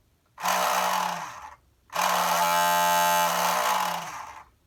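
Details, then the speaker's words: Shark ION RV761 robot vacuum suction motor bench-run with applied voltage: harsh, rasping buzz-whine over a hissy rush instead of a clean hum. Failing suction motor, being replaced. "that's the noise it makes. Horrible, horrible noise."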